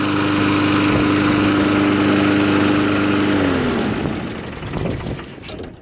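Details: Craftsman Eager 1 22" self-propelled mower, Tecumseh 5.5HP engine, after carburetor rebuilt and governor adjusted back slightly, warmed after running a while: steady even buzz at constant speed, no hunting or surging, then clean shutdown; normal running.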